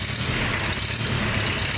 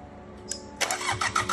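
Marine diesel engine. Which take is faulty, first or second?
second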